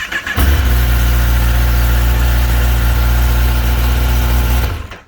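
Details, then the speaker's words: 2022 Kawasaki ZX-10R KRT ABS, after a drop left the oil light stuck on; fixed by priming the oil pump, and the light is now off: starts and settles into a strong, steady, even idle with no knocks, sounding healthy. "Bike sounds healthy."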